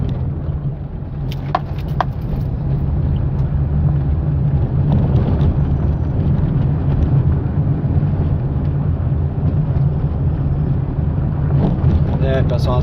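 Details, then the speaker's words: Fiat Palio road test after replacing the stabilizer bar link for a suspension noise, driving over bumps: steady low tyre and road rumble, no clunks or rattles; suspension now quiet, no knocking. "agora nada de barulho nada de barulho em volta"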